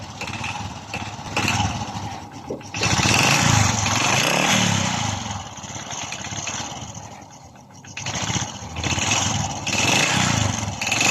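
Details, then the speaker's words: Honda RS 125 Fi single-cylinder engine revved in repeated blips: harsh metallic rattle that grows louder with each rev, diagnosed as piston slap. The owner reported a knock inside the engine, and the piston is to be pulled for inspection. "So ibig sabihin ang problema meron ang kanyang makina guys ay piston slap so kailangan natin bunutin ang kanyang piston para makita natin ng malapitan ang sitwasyon ng kanyang piston"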